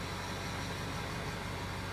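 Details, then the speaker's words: Ford F350 diesel at 185,000 miles, started after the glow plugs cycle: even idle, steady low rumble with a light airy hiss as the turbo comes to life; healthy idle. "Motor blower does work. It actually sounds pretty good."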